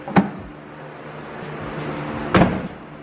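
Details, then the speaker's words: Jeep JL Wrangler tailgate carrying the spare tire, before fitting a Rusty's tailgate tire carrier: two slams, each followed by a brief loose rattle as the whole gate shakes, from hinge play; creaking also heard while driving. "lots of much movement there is in the tailgate when I just close it you can see the whole thing shakes and rattles"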